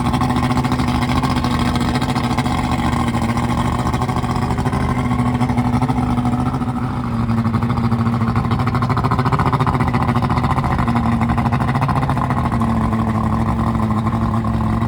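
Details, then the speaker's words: Carbureted outboard newly installed on a boat in place of a fuel-injected engine, test-run on a hose for a few minutes to check for overheating: smooth steady drone throughout, no surging, misfires or rattles; runs healthy. "I'm gonna test it it's starting to make sure you don't overheat have it running for a few minutes"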